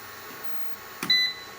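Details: Must PW1800 inverter after repair of failed transistors, under roughly 1–1.2 kW load: quiet fan hiss, then one short high beep about a fifth of a second; inverter trips into overload protection, error 52, low inverter bus voltage.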